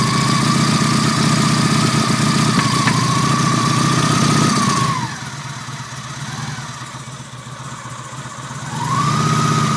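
Idling engine with an uneven, stumbling beat and a whine that dips and recovers, pointing to a misfire at idle.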